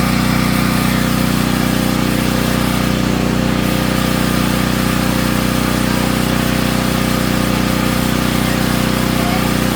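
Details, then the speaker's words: Natural-gas home standby generator started at the beginning of hurricane season. A loud, steady, fast drone with a hard buzzing edge throughout and heavy frame vibration. The shipping brackets were never removed, so they were taken off. "These things right here. That was so it was causing a lot of vibration every time we cranked the generator up."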